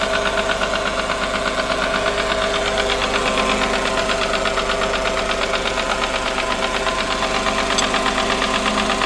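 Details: Smart ForFour engine at idle with a steady, hard internal knock of roughly three beats a second; the car is also leaking oil, and a new engine is recommended.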